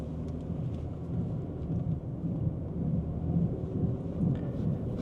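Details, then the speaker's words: Wheel bearing rumble on an Infiniti G37x AWD (2009–2013) with codes U0415 and B2557, heard while driving. A low rumble rises in exact proportion to road speed as the brake, stability control and traction control lights come on. "I don't know if you can hear that but we have a little bit of a rumbling sound now we have the brake light actuated going on and off and as I drive along here I notice that this rumbling sound is exactly in proportion to the speed of the vehicle"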